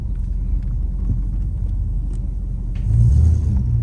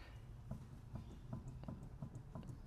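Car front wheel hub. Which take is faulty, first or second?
second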